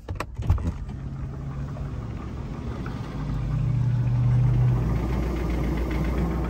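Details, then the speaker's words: GMT800 Chevrolet Suburban V8 before drivetrain removal for LS swap: fires and settles into a lumpy uneven idle with loping low beat, sounds like missing; owner suspects two hurt cylinders. "I don't know if y'all can hear that but she definitely got two hurt cylinders"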